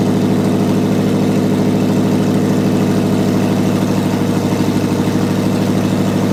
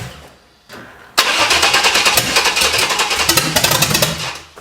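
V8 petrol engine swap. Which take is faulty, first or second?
second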